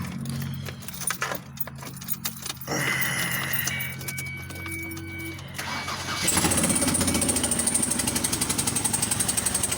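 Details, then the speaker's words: 2004 Ford Escape on a cold start, with a fuel smell: cranks and catches, then a fast, uneven popping tick from cylinder two. Owner suspects the injector is blowing out its O-ring; unconfirmed. "it's piston number two so what i'm thinking the problem is is that the injector is blowing out the o-ring around it"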